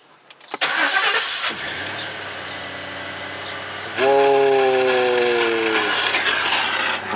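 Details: Lincoln Town Car after fitting a replacement fuel pump, which primed before cranking: short crank, fires and holds a steady idle, revs briefly and settles smoothly; good start, though the control module is still suspected bad.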